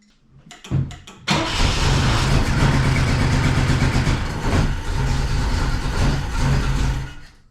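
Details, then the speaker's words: Saab Sonett rally car that doesn't run, after refitting the distributor and attempting timing: the starter cranks steadily, about four turns a second, but the engine never fires; the owner doubts it's the distributor and suspects something else. "it's just not working I don't think it's a distributor there's something else going on"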